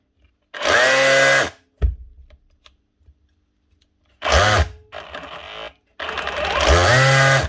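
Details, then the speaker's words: Dewalt cordless SDS drill on trigger test: short bursts of very high, screaming whine, far faster than normal; motor running way too fast, controller problem suspected. "Whoa, hyperspeed. What is going on there? Something badly wrong there. That's running way too fast."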